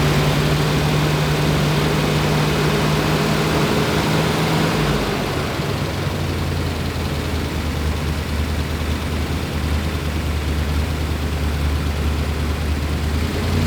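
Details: 1963 Corvette split window 340 hp V8 after first start, timing being set: steady lumpy idle with a deep even beat, note dropping slightly midway as timing is adjusted; running clean, normal idle.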